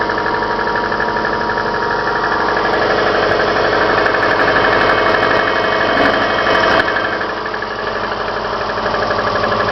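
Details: Subaru Forester, cold idle, Mobil 3000 5W40 oil: steady, even tapping about four times a second; knock louder in winter, gone when warm; owner suspects timing belt tensioner or cylinder 4, source unconfirmed; cold-start engine knock.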